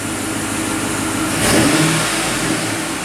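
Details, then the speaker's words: 2007 GMC Yukon V8, just after engine replacement, free revving with likely aftermarket exhaust: clean smooth rev rise and fall, no ticks, knocks or rattles; check engine light on, possibly from disconnected battery; healthy. "Revs good, sounds good. I think this thing's got an aftermarket exhaust on it."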